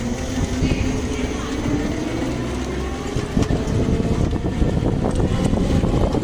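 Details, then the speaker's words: Electric tricycle after two bottles of gear oil were added to the gearbox that had been clanking: steady low rumble with no knock, click or whine; the drivetrain now runs quiet. "朋友们刚才听见了，它这个车辆确实不响了。"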